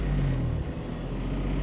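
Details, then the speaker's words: Abandoned Geo Metro LSi convertible, three-cylinder, after driving it home: low drone sags briefly then swells back and hangs high, idle surging to close to 2,000 RPM; cause unknown, otherwise running fine with good gauges. "it's surging RPM surge there it goes RPM's way too high it's sitting close to 2,000 RPM now"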